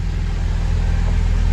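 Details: Porsche 944 engine after alternator and O-rings fitted: steady, even low idle with no knocks, whine or squeal; runs smoothly, charging at 14.5 V, O-ring leaks fixed.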